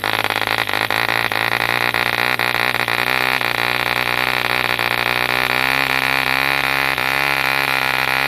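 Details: 1948 E.D. Mark II Competition Special, a long-stroke model diesel engine made in England, first start after a rebuild from two incomplete examples: a fast, steady, high-pitched buzz holding even speed with no misses or knocks, healthy running.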